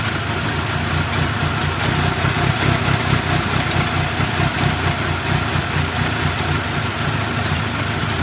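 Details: 1997 Mitsubishi Eclipse RS idling, which the owner says overheats when sitting still but runs fine when driven: idle lopes unevenly with irregular stumbles and faint clatter; rough idle, cause unknown.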